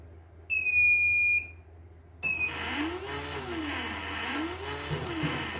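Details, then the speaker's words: CNY E900 embroidery machine powering up with a part come loose and the needle slightly out of position; shrill one-second beep, another chirp and motor whirring, then an error: startup error buzzer. "Nah, ininya terlepas. Posisi jarumnya kurang sedikit begini. Maka pada saat dihidupkan seperti ini."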